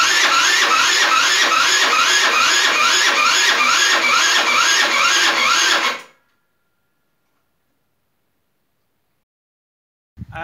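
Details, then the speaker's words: Rebuilt GY6 50cc 4-stroke Sprint Max scooter, first start attempt after rebuild with new carburetor: sluggish whirring crank of about two and a half beats a second that never catches, then stops. The battery went flat overnight. "Ljudi, sinoć je, znači, sve baterije su crkle, baterija na GoPro, baterija na telefonu i baterija u akumulatoru."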